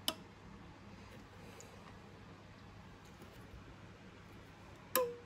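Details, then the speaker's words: Sylvania StreetLED MK3 street light's standard NEMA PE photocell, held close: two sharp single clicks about five seconds apart as the bimetal switch makes contact switching on and off when covered; normal. "yep that's it clicking on and off that's basically like a light switch throwing when you throw a um a light switch or something it makes a click sound so that's the bi-metal switch baking contact"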